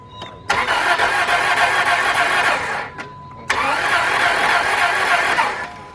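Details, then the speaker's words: 2002 Dodge Stratus with a new battery: two cranking attempts of about 2.5 seconds each with a quick, even starter beat; it never fires. Sounds like no compression; the timing belt is suspected but unconfirmed. Cranks but no start. "you know um that sounded uh kind of like I a hear no compress no compression or nothing that's what exactly what it sounded like"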